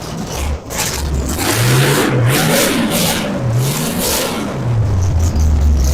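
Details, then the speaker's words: Old 350 dirt-track V8 in a 1963 Chevy Impala, first run after sitting 18+ years, with points set; strong even deep rumble rising and falling cleanly as revved, oiling through the rockers, hitting on all eight, healthy. "had good oiling through the Rockers hitting on all eight um sounds healthy"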